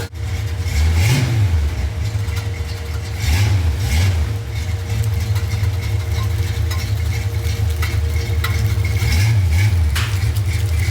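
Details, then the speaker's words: V8 with carburetor and heavy blow-by blipped and settling to idle: loose metallic rattling over the rumble from another broken exhaust hanger. "well as you can hear we have another broken exhaust hanger so I'm going to have to work on that get that thing fixed up"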